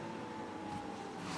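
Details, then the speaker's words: 350 V8 converted from carburetor to Holley Sniper EFI, just after setup (8 cylinders, 650 rpm idle target, stock cam, CD box ignition): short steady electric hum with faint whine, normal fuel pump priming. "Now we can hit start, and you hear the fuel pump prime."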